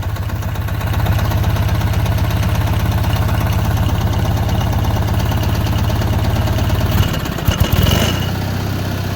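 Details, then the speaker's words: Yazoo YR-60 mower, 23 hp Kohler, just rebuilt with new pistons and rings, first run: steady low idle with rapid uneven tapping about four a second; sounds like a knock but owner believes it is cam noise. "It sounds like it's got a knock in it, but I don't think it does. I think it's more of a cam noise than anything."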